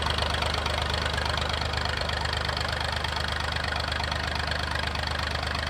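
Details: Massey 2500 forklift with a Perkins AD3 152 diesel, long-stored, suspected fuel problem, now restarted. Loud, open-exhaust diesel idle with an even, steady clatter and no irregular knocks; it sounds like a healthy diesel.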